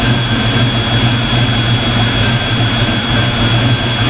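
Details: Black Stang (Mustang) first fire with 24 lb injectors and 73 mm mass air meter, rockers shimmed; loud, even idle with steady deep exhaust drone, no misses or ticking, before warm-up: normal idle.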